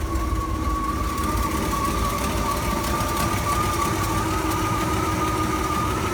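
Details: Ford F-series highboy truck "Fiona" with freshly fitted replacement engine and gearbox after old motor threw rings and puked oil: steady, even idle with faint constant whistle, no knocking; runs fine, carb mixture and timing still need fine tuning.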